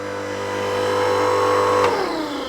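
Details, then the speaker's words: Titan Pro 11-ton mains-powered electric log splitter running with no log: a steady, even motor hum, then a smooth falling pitch as it spins down. Quieter than petrol, no ear defenders needed, and not much louder in operation. "It does make a noise, but it's not so much I feel the need to wear ear defenders, and it's certainly quieter than a petrol engine. So that's the sort of noise it makes, and it doesn't get much louder in operation."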